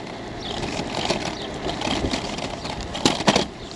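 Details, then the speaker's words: EBKAROCY 14-inch folding e-bike with 48V 15Ah battery, riding at around 20 mph: over steady riding noise, two sharp pops a quarter second apart on a bump. The battery is rattling loose in its holder and needs wedging. "ooh listen that battery popping yep I definitely got to wedge something in there No Doubt but other than that it's rides really smooth guys really smooth but that clanking I don't like it"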